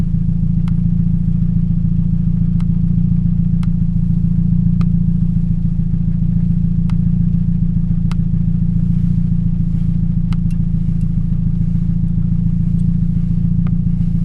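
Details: 2007 Toyota Yaris 1.5L 1NZ-FE, in cold rain: low chuffing idle around 210 pulses a minute with a loping uneven beat, cylinder 3 misfiring from a failed ignition coil.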